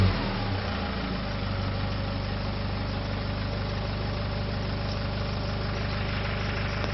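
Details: Nissan ZD30 diesel, recorded at the tailpipe: low chugging exhaust with pulsing beat and lots of clearly unburnt diesel coming out; misfire.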